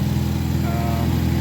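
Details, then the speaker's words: Ford Focus ST first startup after ATP Garrett Gen2 GTX2867R turbo upgrade with homemade intake: even, steady idle with smooth low rumble, running pretty good with no apparent exhaust leak. "There it is. It's running pretty good. Doesn't sound like it has any exhaust leak or anything."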